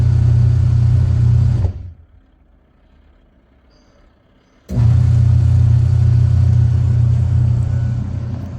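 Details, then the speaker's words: Washing machine after repair of loud motor noise, with the broken belt and the gearbox replaced: motor runs with a smooth, steady low hum, stops briefly and restarts, no grinding or knocking; noise gone. "दोस्तों अभी साउंड बिल्कुल भी नहीं आ रहा है, मोटर हमारी अच्छी तरह रिपेयर हो चुकी है।"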